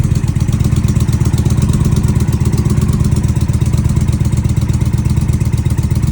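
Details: Indian Challenger after exhaust pipe leak sealed with Permatex high-temp sealant and pipe refitted: even, steady low idle thump, no puffing or ticking from the pipe joint; runs smoothly. Normal idle after repair.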